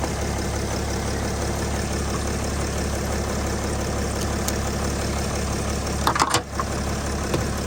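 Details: Steady, even low idle rumble with no misses or knocks once started using solid-state jump starter packs; the starter motor is faulty and still needs fixing. Normal idle.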